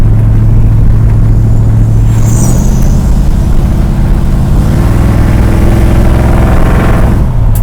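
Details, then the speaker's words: 1973 Dodge Dart Swinger V8 road test after dealing with the bell housing dust shields: deep, steady rumble pulling evenly with no whine or rattle from the bell housing; earlier noise gone, steering column rattle remains. "but our other noise is gone gone gone yay dust shields hate them"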